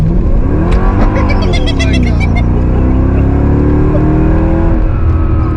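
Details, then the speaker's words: Mercedes-Benz E55 AMG 5.5 L supercharged V8, after cheap repair: hard, smooth acceleration, pitch climbing steadily with no stumble or popping, enough to spin the tires; not a single misfire. "Oh, we didn't get a single misfire on that. Hell yeah. She likes to be driven."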